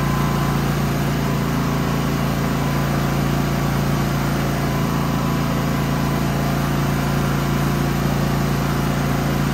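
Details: Genmax GM9000iED inverter generator after ignition module replacement, housing closed, which failed to fix its problem: a constant even drone at fixed speed, no surging, misfire or knocking; running steadily. Later a backfire blows the plastic case open.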